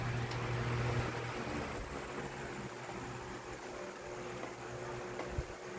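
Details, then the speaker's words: 2006 Lasko 18-inch stand fan model 1820, five-blade: steady low motor hum with a soft rhythmic whoosh about four times a second; prominent blade swishing, owner suspects flat-edged blade design or extra blades. "as as you can hear the sound is prominent and it's probably due to the design of the blade being flat on the edges"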